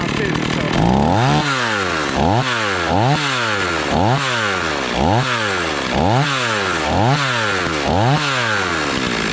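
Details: Stihl 026 two-stroke chainsaw after rebuild, warming up on thick fuel: steady idle with slight rise and fall about once a second, sitting a touch fast; idle set high enough to creep the chain.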